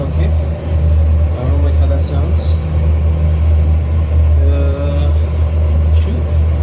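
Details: 1995 BMW 540i E34 V8 after an engine refresh with new seals, spark plugs, valve cover gaskets and valley pan. It runs smoothly but idles high with a steady elevated hum. The owner suspects a swapped throttle position sensor or secondary throttle sensor, unconfirmed.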